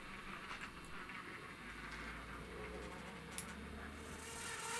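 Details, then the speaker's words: 2012 Hornby Class 60 model locomotive 6042 on track before fix: steady buzzy whine over track noise, not too bad at slow speed. "I'll just show you how bad the noise is so not too bad going slow like this"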